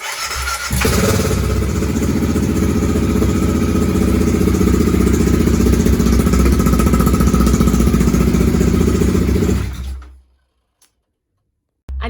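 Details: BMW F650 GS single-cylinder after fuel tank clean, new pump strainer, inline fuel filter and injector, battery charged overnight: catches and thumps unevenly about nine seconds then dies; still stalling after start.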